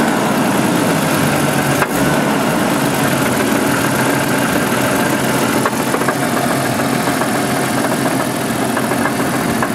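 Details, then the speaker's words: 1988 Jeep 4.0 Renix at idle, with good oil pressure. A light, regular knock ticks over a steady idle rumble. Owner rules out rod knock, suspects piston slap (slightly more at the rear), and plans to check the flex plate bolts; cause unconfirmed. "So anyway, I'll take off the flex plate and all that, and, you know, check for loose flex plate bolts and stuff, but it's not a rod knock. I've had too many."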